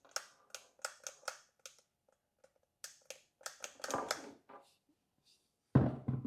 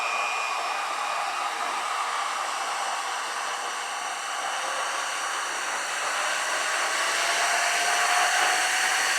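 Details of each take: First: New 7-inch/6-inch variable speed car polisher, head turned slowly by hand unplugged; irregular gritty clicks and crunches instead of smooth turning, crunchy gear noise, later fixed. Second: Alloyman corded variable-speed car polisher (speeds 1–7), running off the pad, with a trigger that sounded crunchy. Smooth motor whir climbing in pitch through the speeds, then winding down evenly. Normal running.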